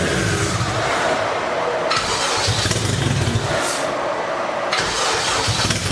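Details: Built turbo Toyota MR2 first fire-up after oil cooler and filter relocation: ragged, uneven running, surging as throttle is worked to keep it alive; running on old turbo ECU map, wrong for this setup.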